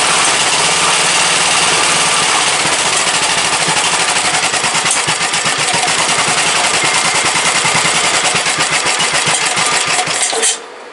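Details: Briggs & Stratton 17.5 OHV single-cylinder lawnmower engine after a hand-cut gasket and tuning, running at a steady pace with a crisp, rapid exhaust beat, then shutting off cleanly; starts every time with the key, compression release working, runs good.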